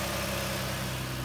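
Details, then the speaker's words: 2016 Ford Explorer 3.5 L with about 161,000–165,000 miles, after replacing original coils and spark plugs for a severe misfire with no codes: smooth, even idle with no stumble; normal idle, misfire fixed. "so let's see how this thing starts that's smooth as butter"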